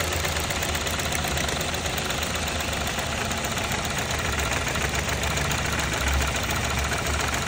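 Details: Engine idling during an ignition coil check for a misfire: uneven, stumbling beat under a steady drone with rough, irregular pulses. Rough idle; misfire suspected, cause not confirmed.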